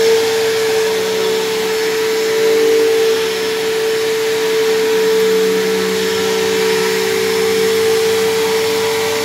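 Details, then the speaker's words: Dyson DC07 vacuum, left sitting a long time: a loud, steady, harsh high-pitched motor whine. Worn motor bearings have worsened, and owner suspects the brush roll or motor bearings dried out; much louder than a similar Bissell, but still passable. "unfortunately it appears that this machine sitting for a long time meant that either the bearings in the brush roll or perhaps in the motor have dried out a little bit"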